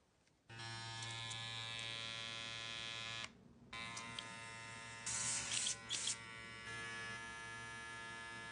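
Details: Babyliss hair clipper after fixing a rattle: steady even high-pitched motor buzz with low hum, no rattle; runs smoothly.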